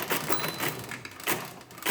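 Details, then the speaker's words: Rebuilt Marchant KE mechanical calculator dividing 355 by 113, subtracting repeatedly until the bell, then adding back and shifting. Rapid bursts of clattering gear noise, each cycle ratcheting cleanly with a small bell ding. Normal division cycle with bell. "we're just going to subtract until we hear the bell and then add back too far so we add back shift over"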